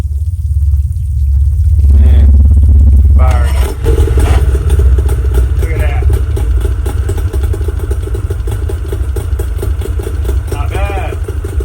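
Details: Two-stroke Tohatsu outboard on water muffs after replacing the carburetor, fuel pump, fuel filter and fuel lines: catches after cranking and settles to a steady low burble with an even beat; runs fine, idle slightly unsettled and still needing adjustment.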